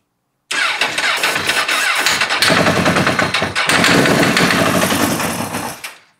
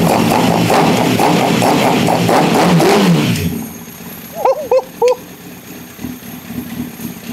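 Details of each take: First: Wrecked Honda CBR motorcycle project, first start after bank angle sensor check: engine cranks and catches roughly with sharp metallic rattle as it fires; suspected spark knock or detonation, cause unconfirmed. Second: Lightly crashed Honda CBR1000RR, fuel pump suspect, fires and holds a steady, slightly lumpy idle for about three seconds before shutting off; engine runs, before coolant is added for hydrocarbon test.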